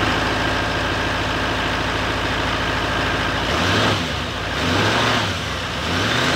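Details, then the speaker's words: 2018 GMC Sierra 3500 HD salvage rebuild, after replacing the pipe and seating its gasket. The engine note is steady and even, with a couple of clean revs up and down and no whistle or air leak; it runs fine. "looks like everything is fine it doesn't make that noise no more and again this pipe running smoothly"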